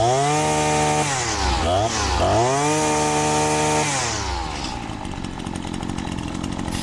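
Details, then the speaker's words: Husqvarna 525L two-stroke trimmer after repair, air filter refitted: revs up and eases back cleanly a couple of times, crisp note with no stumble or misfire; normal running. "Sounds good. Now we'll come down here to the end. Grease her up. Should be ready to go home."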